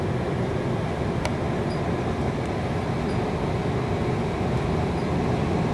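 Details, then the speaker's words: Fuel oil and heat pump hybrid: after the stage-two lockout, inlet air cools to 90°F and the heat pump compressor restarts, back to stage one heat. An even compressor hum with fan noise building slightly as the fans ramp up; normal restart. "and now you can hear the fans ramping up and supply is raising back up the same time inlet is dropping 87 so we're back to stage one on the heat"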